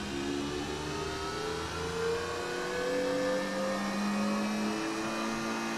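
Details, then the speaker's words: Nespresso Vertuoline after replacing the noisy spindle bearing with a new one: a smooth, even spin whose tone climbs steadily as it speeds up while brewing, with no rumble or grinding; normal brewing spin. "well that sounds much better and i think there's more chroma too i guess a new bearing will do that for you"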